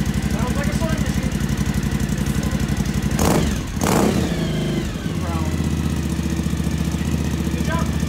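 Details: 2012 Suzuki V-Strom DL1000 project bike on its first start after valve adjustment, after an unknown object was found in the gas tank: steady, even twin-cylinder idle with a brief blip, settling back to a smooth, regular beat; sounds healthy.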